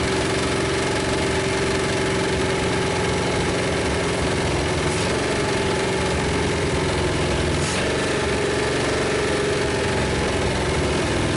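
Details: 1956 Studebaker Golden Hawk V8 just revived on first start: steady, even idle with a faint slow pitch waver, no knocking, all cylinders. Smoke is PB Blaster on the exhaust manifolds. Owner thinks it needs running-in and plans more compression tests and a valve check.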